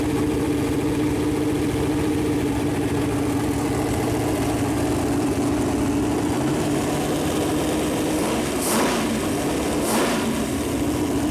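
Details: Freshly built Chevy Performance 454 big-block V8 on a run-in stand, first start, temp around 190, good oil pressure: even idle with steady deep burble, no knocks or ticks; normal idle.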